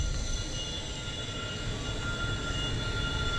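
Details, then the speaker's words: 2 kW Chinese diesel air heater on a standard LED controller with manual pulse rate at 1.6 Hz, about an 80-degree temperature increase: steady low combustion rush with a constant faint fan whine and no sputter or surging; normal running. "okay um running this at 1.6 hurts everything's looking good have an increase in temperature of about some 80 degrees"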